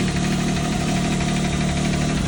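Steady idle with a light, quick ticking riding over the engine note; the source isn't clear from sound alone.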